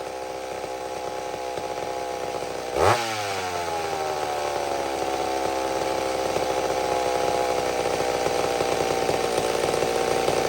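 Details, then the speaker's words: Old McCulloch Super Pro 70 chainsaw, mixture richened slightly after a pulse line fix (gasket sealer suspected), no longer racing up and down: short rev blip, then slowly drifts down to a steady idle. Normal for this old saw. "but they're funny they have little minds of their own that thing settled right back down again it's just it's just what these old things do"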